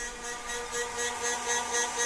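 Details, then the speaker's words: TBE 2000W pure sine wave inverter: a steady electrical hum with a light, rapid rattle about four times a second. The source is unknown; possibly a mount. "the rattle has come back again I'm not sure that is maybe epitome mounts it somewhere but"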